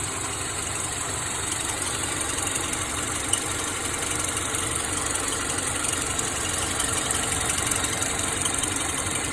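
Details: 2009 Subaru Forester at idle with the AC on: a light, fast, regular chirp starts in reverse, continues in drive and stops back in park; cause not pinned down.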